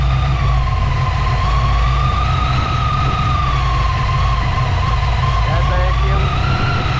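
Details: Ford Fox body with blower carburetor after power valve conversion; deep even rumble under steady high blower whine, no misfire or knock; idles healthily.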